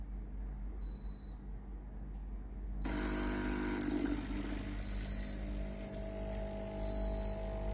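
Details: Philips steam iron GC7703 after replacing the water pump, clean mode held 5 seconds: a few short beeps, then steady even low buzzing hum as water reaches the plate; normal pump operation.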